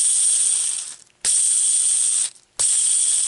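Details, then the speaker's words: Yamaha Kodiak/Grizzly ATV front wheel bearing, removed and spun by hand: harsh, gritty ratcheting rattle in three bursts; both front bearings worn out, unlike a quiet new bearing. "listen to the bearing shouldn't sound like this should be nice and quiet both sides both bearings are shot"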